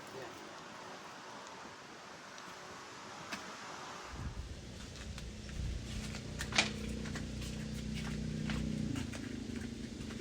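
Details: 1996 Dodge Ram 1500 5.9 Magnum V8 after fitting a Jones Full Boar 2-chamber muffler: after a few quiet seconds it fires and holds a steady, deep, even rumble that sounds more opened up; normal exhaust note.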